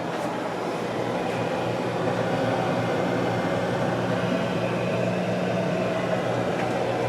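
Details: 2004 Whirlpool freezer, new but stored unused 13+ years, running after its first plug-in; steady low hum with an even airy rush behind it, no knocks, rattles or cycling. The compressor is running normally.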